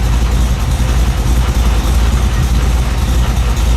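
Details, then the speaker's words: 1970 Firebird Trans Am clone on an untouched base tune: steady, deep V8 burble with an even loping idle, estimated at about 700-800 rpm, no knocks or misses; a healthy idle. "Right now, this sounds like probably 800 700 somewhere around there."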